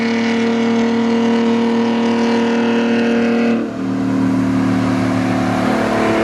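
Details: Chevrolet D60 truck with Detroit Diesel 4-53N two-stroke at the 3,000 km service: a steady droning diesel roar with a whining blower tone that shifts pitch partway through; normal running.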